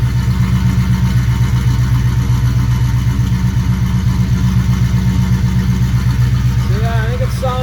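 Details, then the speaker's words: 1952 Navy truck V8 at its first start after the build, initial timing being set, heard at the tailpipe: even, steady burble with no ticking or puffing and a little power steering noise; normal exhaust note, no leaks. "pretty decent I don't hear any leaks in the exhaust and hear the power steering a little bit and still going to still getting fluid work through [Music] it"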